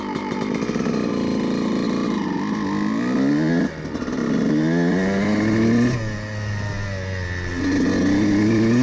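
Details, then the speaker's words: Two-stroke dirt bike carburetor jetting at about half throttle. The needle position has been changed from too rich, which was spitting, to correct. It now blips up and settles cleanly with a smooth midrange and no spitting or stutter. "donc comme vous l'avez entendu auparavant à propos de à mi-accélérateur, il était super pulvérisation et il a juste couru très lisse et tout cela devrait être nettoyé maintenant"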